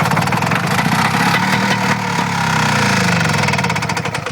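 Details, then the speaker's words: 1969 OMC Snow Cruiser snowmobile two-stroke, sat for years, first start after restoring spark, on primer fuel without premix; rough buzzy rattle runs a few seconds then sputters and dies as primer runs out. "She's gonna run. Okay, I like that sound. Now I should be running a little bit of mix."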